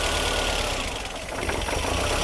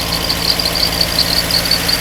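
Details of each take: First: Mercedes W201 2.5-16V manual, parked for years, after repairs, running on an external fuel tank: steady, even idle around 1100 rpm with no misses or hunting, return flow 2.2 L; normal running. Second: Mercedes W201 2.5-16V manual, parked for years, hot, on an external fuel tank with return flow only about 1.0 L (standard over 2): fast idle over 1000 rpm with an uneven, wavering beat, hunting from insufficient fuel supply.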